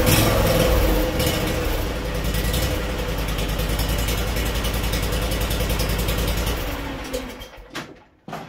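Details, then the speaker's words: Kawasaki FH580V V-twin on a Scag Freedom Z mower after a new carburetor was fitted and a forgotten wire reconnected. Nice slow, steady, even idle with no stumbling before shutoff; the repair succeeded. "Okay, I think we'll call that successful."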